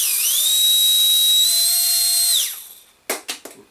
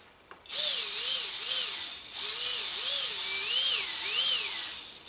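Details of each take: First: Micro ducted fan (EDF) after balancing with tape, fingernail held on it to amplify vibration: high steady whine with even pitch, no wobble, winding down smoothly; vibration no longer audible, smooth balanced spin. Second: Micro ducted fan (EDF) spinning with a thin high whine wavering with throttle and a slight rough edge from rotor imbalance; fingernail used to amplify the vibration while balancing with tape, after which vibration is no longer heard.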